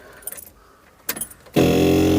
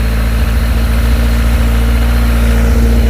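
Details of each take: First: Skoda Estelle 120 with Rover K-series engine swap, tank emptied: after key-on clicks, electric fuel pump hums steadily with faint high whine, dragging petrol up to fill the dry carbs before first start. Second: Rover K-series engine in a Skoda Estelle 120 project car: heavy idle running on three then four cylinders, irregular sharp exhaust pops and stumbles, spitting flames from unburnt fuel; misfire.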